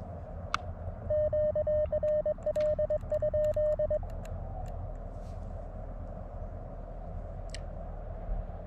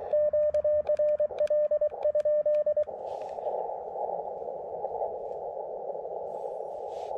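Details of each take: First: LNR MTR4B transceiver on 40 meters, speaker audio: over steady receiver hiss and keyed Morse tone, occasional sharp isolated pops seconds apart, also when switching bands; absent on Elecraft K1/KX2, suspected internal to the LNR. Intermittent speaker pops. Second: Elecraft KX2 radio on the 30 m band near 10.116 MHz with a trapped antenna, used for comparison with an LNR MTR4B; a few seconds of keyed tone then even, steady hiss, normal band noise with no pops or splatter.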